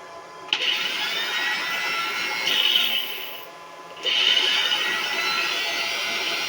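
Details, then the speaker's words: Angle grinder connected directly to a single 450 W solar panel at low DC voltage: high motor whine surges on and off twice without reaching full speed; grinder starved on low supply voltage. "मैं ग्राइंडर लेता हूँ। अब इसे यहाँ चालू करते हैं। कोई प्रतिक्रिया नहीं।"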